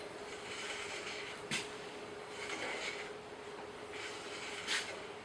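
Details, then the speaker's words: Bandsaw owned about 16 years, cleaned up and running freely after blade tracking adjustment: a quiet steady hiss, faint even hum and a few light brushes. The rear guide bearing is freewheeling with no continuous pressure, which is the desired condition. "But we definitely do not want continuous pressure on these on the back bearings. We want to have them pretty well, I don't know whether you can hear that, but it's freewheeling. And that's kind of the condition we want."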